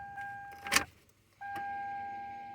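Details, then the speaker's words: Toyota Camry Solara 2.4 with an intermittent no-start: key turned fully to start, chime but no starter click or cranking; starter circuit not engaging, ignition switch or starter suspected, signal to be tested. "Nada, nothing. See, I have it all the way right there."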